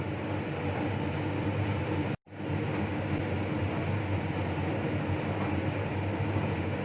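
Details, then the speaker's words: Laminar flow hood restarted during reassembly of a Toshiba DT01ACA100 donor hard drive: even rushing airflow with a low steady roar after a brief dropout, no ticks or rubbing; the blower is running normally. "Here the laminar starts again. You can hear the voice"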